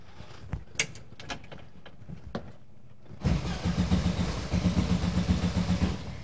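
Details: 1971 VW bus that sat about two years, starter just replaced: a few loose clicks, then even cranking at about four strokes a second with fuel heard but no firing. It cranks but won't start; cause not confirmed.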